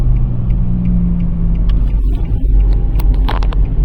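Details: 2017 Nissan Sentra SV while driving: deep steady hum under road rumble, holding one low pitch before fading; humming noise, cause not yet determined.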